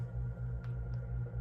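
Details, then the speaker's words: Early Hunter C17 antique ceiling fan motor before restoration, only a little oil in the bearing (should be quieter when full of ISO 100 oil): soft, low, even hum, earlier rattling gone, normal running. "when it's full of ISO 100 oil, it will be a little bit quieter than this"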